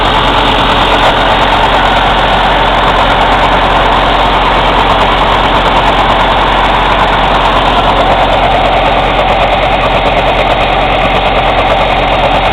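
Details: Cummins ISX CM2250 diesel during DPF regen, holding a steady speed: rapid, fairly even puffing in the intake about three a second, with no mechanical noises; owner suspects turbo chuff during regeneration.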